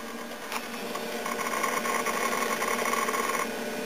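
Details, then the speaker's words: 1998 Dell Dimension XPS R450 Pentium III PC booting Windows 2000 from its 2 GB drive (a 4 GB drive is also fitted): light, scattered ticks over a faint whir, ordinary hard drive seek chatter while loading. "you can hear the hard drive ticking loading"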